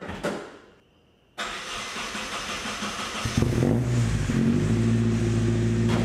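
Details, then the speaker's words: 1972 Datsun 510 with KA24DET turbo swap, after repairing and welding new 3-inch exhaust: brief crank, engine settles into even, fairly quiet rumble with no rasp or leak puffing; exhaust sounds healthy. "man this thing sounds pretty good huh pretty quiet oh man s is so quiet inside"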